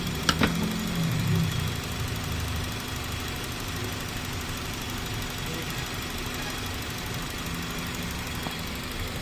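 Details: Honda City 2000 Type Z, whose complaint was stalling and high idle with the aircon on, after idle adjustment: a quiet, even idle with a smooth low hum after a small clunk at the start.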